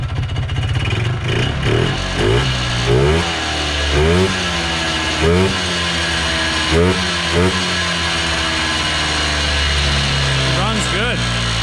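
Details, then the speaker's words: 1980s Polaris 250cc two-stroke ATV revived after sitting for years, with new premixed fuel: crisp two-stroke buzz rising and falling cleanly through throttle blips, no misses or knocks; running well, carb may need a small tweak. "Yeah, she runs good, boys. real good."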